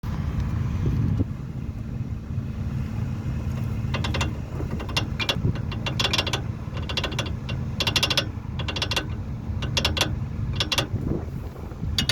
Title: Vw golf mk1, brake pads rattling noise.